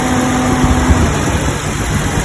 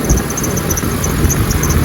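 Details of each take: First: Jeep Cherokee XJ 4.0 after its noise was diagnosed and fixed: steady, even idle with a smooth low hum and no squeal or chirp from the belt; engine and belt drive running normally. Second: Jeep Cherokee XJ 4.0 idling with a high, chirpy squeal repeating over the engine, traced to a worn idler pulley on the accessory belt, which is then replaced.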